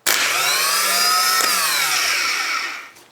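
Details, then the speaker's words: Rebuilt starter motor for Volvo EC14B/EC15B mini excavator, made from three old units with repaired broken solenoid hold-in coil wire, bench-run: smooth, even high whine spins up, holds and winds down, no grinding or rattle; healthy. "That sounds nice, doesn't it?"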